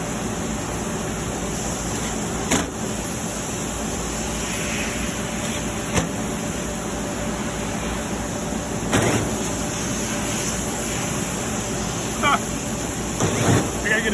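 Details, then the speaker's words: Marvair wall-mount AC unit after replacing a faulty Coollinks control board that caused a communication alarm. The compressor fired up after a delay, and a steady whooshing hum with a faint tone and a few light background clunks follows; it is running normally. "there would be a delay there it goes fired up wow that's funny"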